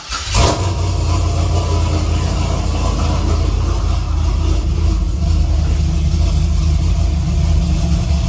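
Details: Chevrolet Silverado pickup after no-start fixed with a new fuel pump, bed refitted, pump sounds louder: quick crank, engine catches at once and settles into a steady even low idle, no misses or knocks; normal start and idle.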